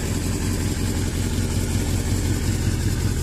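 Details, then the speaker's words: 1982 Suzuki GS650GT motorcycle, first run since delivery after failing to start; low lumpy stumbling idle that never settles; owner thinks fuel isn't getting through, not confirmed; rough idle. "i've got it running i'm impressed with myself here you have it running running rough"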